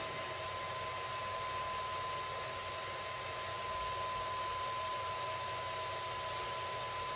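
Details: Dumpster-found Pentium 3 PC at first power-on: steady airy whoosh with a fixed high whine, the power supply fan running loud and straining; owner unsure, suspects it may have been thrown out for a reason.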